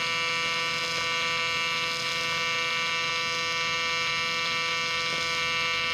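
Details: Miller Dynasty 300DX AC TIG welding aluminium during a beginner's practice session: constant high buzzing hum, steady and unbroken with no pops or sputters, a normal AC TIG arc.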